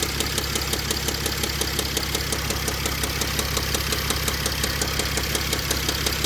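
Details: 2005 Mercedes CLS 320 CDI diesel at idle: sharp rapid evenly spaced heavy knocking throughout; owner suspects rod bearing, not confirmed.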